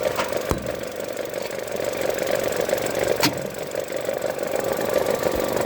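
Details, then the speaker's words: Vauxhall diesel with 96,000 miles, low fuel and flat battery, on a drive: sharp, uneven ticking over the idle, two or three a second; the familiar injector cracking of these engines, no chain rattle. "It's got a very familiar cracking of the injectors on these uh voxels."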